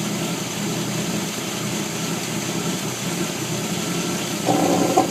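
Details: 1989 Jeep Wrangler YJ, 4.2 258 six-cylinder, idling and revving with irregular sharp exhaust pops from the pulse air system; blamed on improper timing and fuel delivery, noise gone after Motorcraft 2100 carburetor conversion and timing adjustment.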